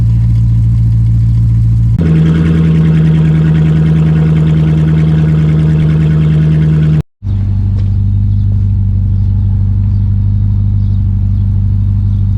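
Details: 2006 Dodge Magnum, center suitcase muffler replaced by two pass-through Magnaflow mid mufflers, tailpipes not yet hooked up: deep, loud, droning idle stepping up to a held higher rev; raw open exhaust tone.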